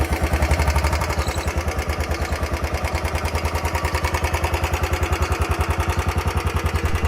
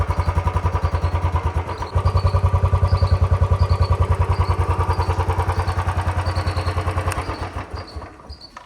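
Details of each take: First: 2019 Royal Enfield Bullet 350 single-cylinder at about 3137 km: steady idle thump, three to four beats a second, with a light tick on each beat; ticking traced to low engine oil, service centre added oil. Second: 2019 Royal Enfield Bullet 350 single idling after a ring kit fitted to cure an engine tik-tik noise that began around 3137 km; even steady thump, no ticking heard. Normal idle.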